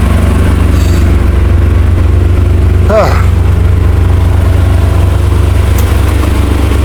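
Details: 1963 Chrysler Newport V8, revived after sitting, smoking: deep, steady rumble holding an even idle with no knocks, misses or hunting and no stumble off idle, a normal idle.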